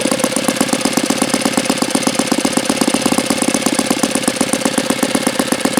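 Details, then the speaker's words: Saito FA-82a four-stroke model engine, very low hours, OSF plug: fast crisp evenly spaced firing with no misses or rough patches. Normal running. "Well, this is a phenomenal running Saito engine."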